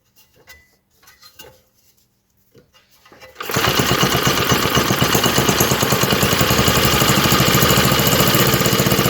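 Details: 1948 Johnson Iron Horse small 4-stroke utility engine, started with carburetor bowl filled and choke on: after handling noises it catches and settles into a fast, regular popping beat about four per second, running steadily.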